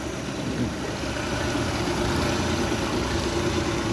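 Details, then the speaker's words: Honda 50 hp carburetted outboard (6-valve), fuel hose pulled, idling about 1000 rpm untouched: even steady low hum, no stumbling or surging; normal idle. "1000 devirde hiç gaza dokunmadan rolentde ne kadar çalışacak? 50 beygir Honda karbüratörlü."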